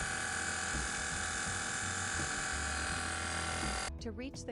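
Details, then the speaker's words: BMW with rear air suspension: the compressor, located at the rear center under the bumper, buzzes steadily but the lowered rear won't lift. The faulty compressor was replaced with a new aftermarket unit, which fixed it. "The compressor, as you can hear, is working, but the car does not lift at the rear."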